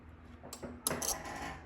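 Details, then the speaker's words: Relay chattering, a short burst of sharp uneven metallic clicks, during code upload: valve 4 is wired to microcontroller pin 13, shared with the onboard LED, so the LED's flashing rattles the solenoid relay, which can damage it over time. "there and whenever we upload code that little LED is going to flash and it's going to cause that switch to basically rattle because it's tied to the same pin so that can that can damage the relay if we do that repeatedly over time"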